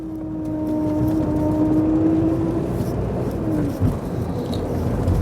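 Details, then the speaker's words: Rover 25 with L-series diesel engine, just started cold before a 90-mile drive: steady whine of about 300 Hz over the idle, fading and dipping after a few seconds; the previous user says it goes away soon; source unconfirmed. "B said it'll go away quite soon let's hope it does cuz I don't like that sound at all not in the slightest bit"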